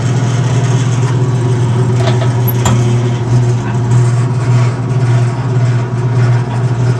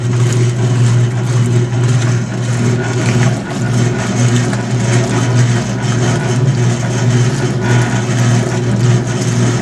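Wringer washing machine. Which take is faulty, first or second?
second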